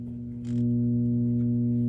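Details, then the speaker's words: Sony TC-270 reel-to-reel deck after recapping: constant low steady mains hum on the right channel only, left channel silent regardless of mono/stereo switch, traced to the right power amplifier channel. "Right channel only. Now, how do we know where the problem is. Well, the problem is in the power amp."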